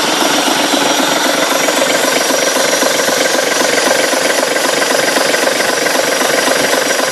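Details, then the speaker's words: Ribble BD-2 recovery truck, running again after many years with chassis, engine, gearbox and front axle refitted: an even, steady clatter at a settled idle with very little smoke and no misfires. Normal idle. "starting to let you hear the sound of this engine how beautiful it is back a long long time many years without running you can see very little smoke come off the engine but have a listen to this"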